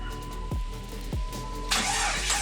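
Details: Car after dirty fuel filter replacement, key cycled to prime fuel pressure: short crank, engine catches cleanly into a steady, even idle with no stumble or misfire; no fuel leaks found afterward.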